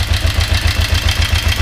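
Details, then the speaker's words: Kawasaki 454 motorcycle after starter motor replacement: choppy, uneven idle with pulses roughly nine times a second that stagger and never settle; starts more easily but idles rough, owner suspects the timing chain. "she's all back together now is she's still running really rough because I think the timing chain is still the problem"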